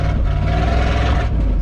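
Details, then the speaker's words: Roughly 1978 Ford F250 crew cab with cheap plug wires and an occasional suspected miss, running and revved: a loud, raw, deep roar with a rasp. Exhaust is open, disconnected at the back, and needs fixing. "Other than that, she's clearly a race truck with that loud exhaust."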